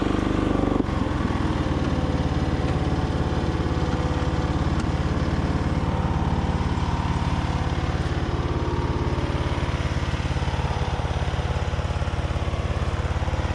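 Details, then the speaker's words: Craftsman DYT4000 riding mower with a Briggs & Stratton engine, after fuel pump install and valve adjustment, burning off oil: single-cylinder thump slightly lumpy and irregular; the carburetor still needs more adjustment. "still sounds like it needs a little bit more adjustment on the car but overall it's driving good"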